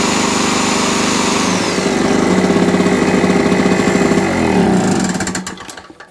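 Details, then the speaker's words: Small camping generator, after carburetor clean and new spark plug: steady even pulsing run at constant speed, then winds down and stops; normal idle. "Boom, and there you go, that's how you do it. Nice little camping leisure generator that was only destined for one place, to be crushed and recycled or put into landfill."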